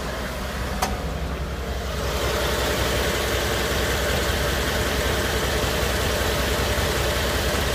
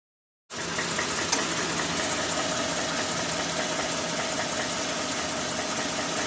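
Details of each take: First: 2013 Ford F-150 5.0L V8, cold idle after repair under dealer work order: steady, even low rumble with no knock; the earlier cold-start knock (silent when hot) is gone. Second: 2013 Ford F-150 5.0L V8 at 40,000 km (25,000 miles), cold start: faint, fairly fast knock of about three a second over the idle. Present from immediate cold start until hot idle, silent once hot.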